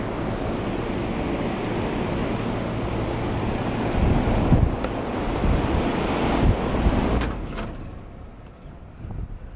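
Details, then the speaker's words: Rooftop commercial AC condenser running in cooling mode on a cold day: steady fan rush with low hum, no knocks or squeals, sounds normal; the reported high-pitched noise came from a nearby ventilation system instead. "Got the system in cooling right now. It's a cold day, but that all sounds fine."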